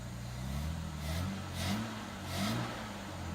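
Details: 1967 Jaguar Mark II, off the road 20+ years, at a steady idle reading about 9.5: revs rise and fall smoothly three times with no knocks or misses. Sounds healthy and strong.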